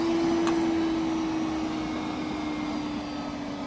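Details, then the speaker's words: Milwaukee M12 1.6-gallon wet/dry vac (0960-20), under two months old, kept in a cold van, on high: the whine sags after 10–15 seconds as it loses power, down to lower than low. Owner suspects the cold affects the lithium battery; unconfirmed. "Turn it on high, about 10-15 seconds, it starts winding down and going lower and lower power, down to lower than low."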